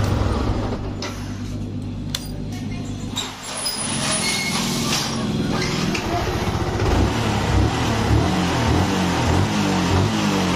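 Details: Yamaha R15 with a no-start and weak compression, after clearing something jamming the valves: it fires steadily and rises smoothly through several throttle blips with a clean, even beat. Normal running and revving.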